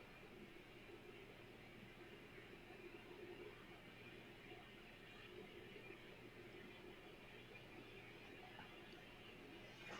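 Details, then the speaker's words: Kustom Sidewinder 24C 1970s guitar amp at full volume with no instruments plugged in: steady hiss like distant surf with faint low hum, expected to worsen as the amp warms up; suspected AC line noise, polarity switch suggested. "i don't know how well you're gonna be able to hear it but that's full volume there's no instruments plugged in i'll be quiet for a minute see if you can hear that hissing sound"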